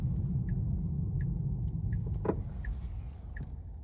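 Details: Tesla Model 3 driving: light, regular ticking knock or rattle, a bit over one per second, above steady low road rumble.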